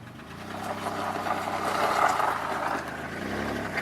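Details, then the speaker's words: 2002 Chevy Malibu with a start/no-start problem, after a starter replacement and a gallon of fuel added, first run after sitting about four months: steady, fairly quiet petrol idle with an even low hum, no knocks or misses; runs fine. "So as you can hear, she's running. That's all that matters to me."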